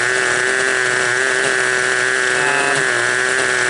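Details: Raptor 30 gasser RC helicopter fitted with a 50 main gear for autorotation, main gear turned by hand with no tail rotation: steady fast clicking over a held mid tone as the freewheel ratchets; owner unsure whether this is correct.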